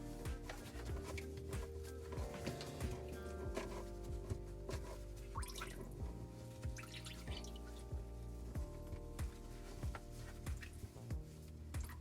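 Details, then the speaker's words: Garbage disposal under a sink after reinstall and retightening: steady drips about every second and a half over quiet room noise as water keeps dripping; owner unsure whether it is leftover water or a leak. "I don't know if that's the leftover water or not, because the water is still dripping."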